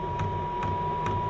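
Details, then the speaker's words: Newly installed Chinese diesel heater in an MDC XT12 caravan, first start; crisp regular ticks about twice a second over quiet hum as the dosing pump primes, only a little fuel coming through due to air in the line, needed several restarts to prime. "doesn't actually look like it's managed to prime i can just see a little bit of fuel coming through"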